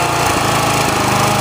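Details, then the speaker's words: Generac petrol pressure washer with the throttle turned down to the low-speed (delicate) setting. A small single-cylinder engine puttering evenly with no misses or knocks; runs fine. "Because there's your low setting. That's low speed on the engine."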